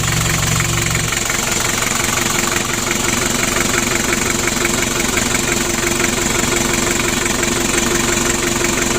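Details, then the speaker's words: Freshly assembled Daihatsu Hiline F70 diesel engine, glow plugs installed, first start while warming up, borrowed L300 battery: steady, even diesel clatter at idle with regular beat, no misses or knocks; oil pressure rising, healthy idle. "Lanjut kita panasi dan kita hidupkan. Oke Le, coba dipanasi Le. Untuk mesinnya sudah hidup."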